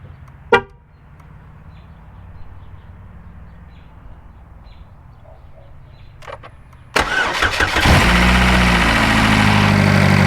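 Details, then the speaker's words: 2012 GMC Terrain 2.4L EcoTec, first remote start after replacing the timing and balance chain set: a loud, harsh clattering rattle right at start-up that quickly fades. The owner guesses the new chain tensioner is taking up the slack as designed. "The noise that you heard when it first started up was about where it was at before I thought we had a complete timing chain failure. The noise quickly went away, so I am guessing that that was the new chain tensioner actually taking up the slack in the timing chain as is designed."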